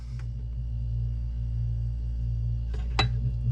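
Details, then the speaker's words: Mini refrigerator that wasn't cooling, compressor not kicking on, with thermostat leads jumped by a wire: steady low hum, even drone without knock or rattle; compressor starts and runs smoothly, pointing to a faulty thermostat. "you hear that compressor's plugged in can you hear it"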